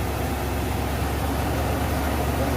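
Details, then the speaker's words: 1992 Ford Bronco 5.0 302 V8 after harmonic balancer and water pump replacement, which fixed its shaking at idle: even, steady burble with no stumble, shake or hesitation; smooth normal idle. "nice and smooth smooth as a baby's rear end look at that no shaking no hesitation"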